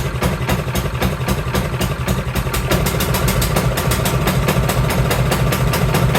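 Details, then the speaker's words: Cub Cadet 524 snowblower that the owner says runs rough and smoky, started in neutral with a high-amp power supply in cold, snowy weather. The small engine stumbles with lumpy, uneven firing about three or four beats a second, running rich and rough with the choke stuck on. "One, the choke is stuck on. So we're gonna have to dive into that. So I wonder if that's, well, she said it was running rough because not much movement here."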